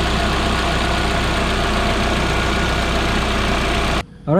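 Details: Proton Inspira (Lancer 08) at a steady, even idle after replacing the idler pulleys, V-belt and auto belt tensioner: a smooth low hum with no squeal, chirp or rattle from the belt side. The belt drive sounds healthy.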